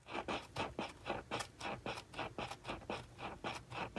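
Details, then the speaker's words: Grunow Model 654 radio, 8-inch electrodynamic loudspeaker with loose surround, before recentering with shims: dry scratchy rasp with each cone push, about two a second; voice coil rubbing the pole piece. "see if we can get some better quality out of this thing you may be able to hear the rubbing"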